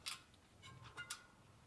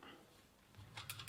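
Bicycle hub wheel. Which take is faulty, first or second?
first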